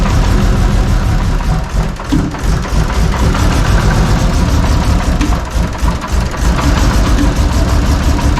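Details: Toyota 2JZ inline-six, previously running rich, needs throttle held to barely idle: loud lumpy uneven chugging idle, cylinders dropping out; misfire.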